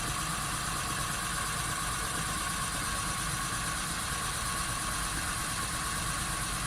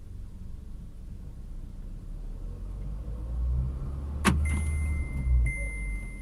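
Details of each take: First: VW Polo Sedan, front wheel lifted and spinning in gear: a steady droning hum under the engine noise from the right front hub bearing, which hums clearly and needs replacing; the left wheel is quiet. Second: VW Polo Sedan on factory Kama tires, front left wheel raised, heard inside cabin in fifth gear at 60 km/h: soft low road rumble, no hum or growl; left front bearing normal, unlike the faulty humming right one.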